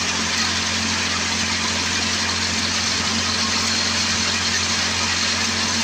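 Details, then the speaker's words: Old Craftsman 24 snowblower with Tecumseh engine, started after sitting for years; runs with a steady, even buzz, no surging or hunting; running well. "running pretty good everything's going to work"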